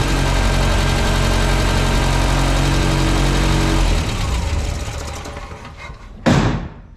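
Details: 1967 Land Rover Series 2A after swapping the Solex carburettor for a Zenith with a modified arm: steady, even idle with a smooth low beat, then shut off and winding down; runs fine.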